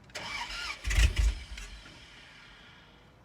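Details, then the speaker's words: Dodge Dakota regular cab after used transmission install, clutch in, it had given a clicking instead of cranking earlier; brief crank, a couple of catches, then it dies within a second. Cause found: out of gas. "Clutch in. Oh shit, it's dying right away. I wonder what that means."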